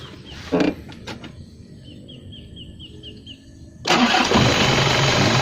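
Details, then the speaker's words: Isuzu Panther Royale diesel, checked after a 24-hour trip with a dry engine and a suspected bypass hose leak: the engine catches at once and settles into a steady, even clatter with no misfire and no smoke, a healthy normal start. "Nah ini ya, walaupun habis dipakai perjalanan 24 jam tidak ada asap yang keluar, ini menandakan mesin ini sehat, tidak mogok, tidak ada asap yang keluar, berarti sehat normal."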